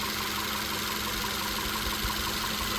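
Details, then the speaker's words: VW Tiguan after swapping in spark plugs and injectors from another Tiguan, cylinder 1 misfire cleared: even steady idle with no stumble or skipped beats, running smoothly on all cylinders. "I swapped out all the spark plugs and injectors from her car into this one, and now we're golden."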